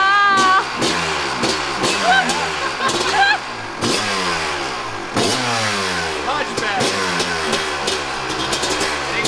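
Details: 1998 Kawasaki KX250 two-stroke, fully rebuilt top and bottom end but ran poorly, after case split, reseal and reassembly: kick start, crisp buzz rising and falling cleanly with throttle blips before settling; normal start and idle.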